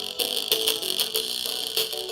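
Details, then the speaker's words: 1998 Apple iMac G3 internal speaker playing music from iTunes before replacement: thin, buzzy sound rattling harshly on loud beats, cone flapping because the foam surround has disintegrated. "yeah that rally noise that terrible crash rattling noise you're hearing that is a sad phenomenon called drive a rock"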